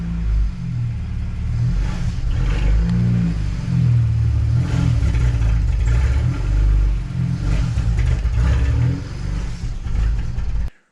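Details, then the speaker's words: BMW 335i N54, full bolt-on, engine reassembled by a machine shop after head replacement. Holding revs at a steady rpm, it surges and sags with heavy backfiring pops and struggles to stay running. Cam timing is incorrect because the two camshaft sprockets were fitted incorrectly. "if i slowly just try to hold the revs at a certain like rpm uh it'll start backfiring like crazy [Music] see and then it struggles to stay stay alive"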